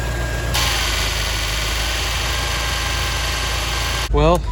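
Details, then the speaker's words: 1989 Chevrolet C4 Corvette idling after belt tensioner replacement, engine already a little warm: steady, even idle with a faint constant whine and no chirp, squeal or tick; owner will recheck cold to confirm the tensioner was the issue. "so far so good guys the engine was a little warm before i started it up so i'll probably have to start it up in the morning just to be certain that uh the tensioner was the issue"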